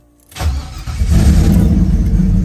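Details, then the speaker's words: LS 5.3 swapped Nova with Holley electronic fuel injection, not started in a while, cold start in a snow blizzard; starter turns the V8 over with rough low churning but it never catches; no gas suspected. "all right oh [ __ ] it ain't gonna crank about me ain't no gas in here"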